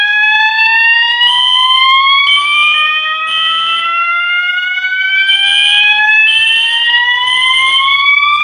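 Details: Fire alarm system test: Gamewell Sentry pull station operated, with System Sensor SpectrAlert Classic and MASS ADA notification appliances. Rising whoop sweeps over a pulsing horn tone, sounding normally in alarm.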